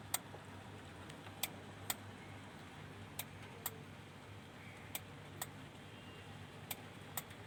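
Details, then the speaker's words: Denon AVR-2113 amplifier that won't power on: sharp, irregular relay clicks every one to two seconds over a quiet hum, and the 5.2 V supply drops when the relay clicks. Stuck in protection mode, no sound. "यह piece on नहीं हो रहा है। Relay की tuktuk की आवाज इसमें आती है।"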